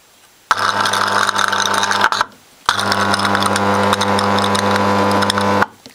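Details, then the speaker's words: Homemade DC power supply from a vintage transformer and diodes, full-wave rectified (100 Hz from 50 Hz AC), unfiltered output with no smoothing capacitor yet: loud, steady, raspy low buzz cuts in twice and holds constant. A filter capacitor should smooth it. "humming but if i put a footer cap on it should slow down and smooth out"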